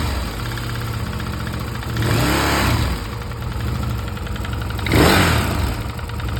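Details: Stels Guepard 650G engine knock: rough idle with a dull irregular knock under the exhaust note, sharpening on two short throttle blips; origin of the knock unknown.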